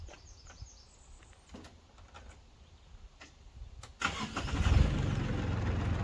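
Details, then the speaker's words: Liberty 3-point wood chipper after repair, including the cable release mechanism: spins up into a steady, even roar with no rattles or grinding; sounds healthy and chips well. "So I think this thing sounds good, works good. Really economical repair."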